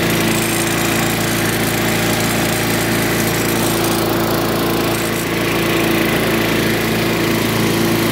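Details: Curbside-find Craftsman lawn vacuum shredder, small single-cylinder engine with a cleaned carburetor and new spark plug, buzzing at a steady fast run with even firing and no misses; it burns a lot of oil.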